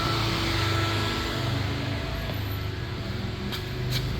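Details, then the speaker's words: LS-swapped Chevy Nova with new ProForm 69598 fan controller and thread-in probe sensor, engine warm at just over 160°F, fan switched on via manual override: steady whooshing rush of air over a low engine hum; electric radiator fan running normally. "But if you switch it on, you can hear the fan [Music] running."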